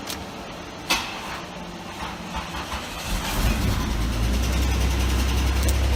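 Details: 1989 Oldsmobile Toronado Trofeo, first start after long storage, jump-started: quiet, then fires into low rumble with a light, fairly regular tick, owner suspects dry-start oil starvation; cold-start ticking, cause not confirmed.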